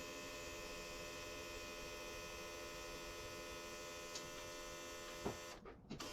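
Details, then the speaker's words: John Deere 7830 tractor at key-on, engine off, mic by the external VGT turbo actuator (a seized one was replaced; tractor was derating): steady electrical hum, faint whir, then a few clunks as the ECU's travel test sweeps the actuator, working normally. "every time you cycle the key it's going to do a travel test on its own the ecu is going to do a travel test"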